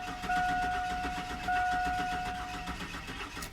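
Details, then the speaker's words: 2002 Chevy Silverado 4.3 L, died while driving across a field: starter spins the engine at an even steady rhythm for a few seconds but it never catches; crank no start confirmed, cause not yet diagnosed. "so as you can hear the engine cranks but it doesn't start let's try that one more time so right there we have confirmed the customer's complaint it's definitely a crank no stat condition"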